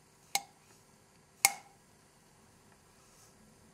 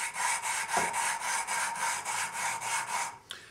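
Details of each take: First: 1974 Honda CB750 cylinder head during rebuild, valve tapped after lapping: four sharp separate taps, each with a clear high-pitched tingy metallic ring that fades quickly; the lapped valve is seating properly on its seat. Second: 1974 Honda CB750 rebuild, valve lapping by hand with fresh grinding compound on the seat: rhythmic back-and-forth rasping about four strokes a second, coarse and gritty; compound still cutting, tap to bring more in when it smooths out.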